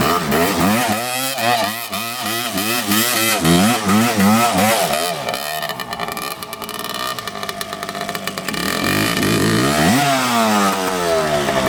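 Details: 1986 Suzuki LT250R two-stroke race quad, an early model without power valves, ridden through the gears: revs climb, then suddenly flare free as it pops out of every gear above first into neutral. It shifts normally by hand; cause not yet found.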